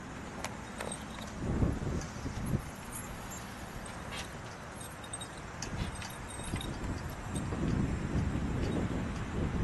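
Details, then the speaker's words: 1983 AMC Eagle Sport SX/4 4x4, original 258 cubic-inch six, under 35,000 miles, with a custom exhaust tip. Quiet, steady, low idle rumble with no knocks or ticks. Normal idle. "hear Jim sounds like a brand new car y y let me get the exhaust note there you got a little exhaust custom tip on that sounds smooth sounds smooth"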